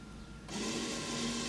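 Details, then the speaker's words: 2008 VW Passat electronic parking brake, closing rear calipers from service mode with a scan tool after pad work: a quiet hum switches on and holds a steady whir as the caliper motors drive the pistons to the pads; normal. "I hope you guys can hear the noise and the light they're just turned on I wasn't fast enough to show it to you guys so now and the caliper Pistons are going out to contact the brake pads slightly"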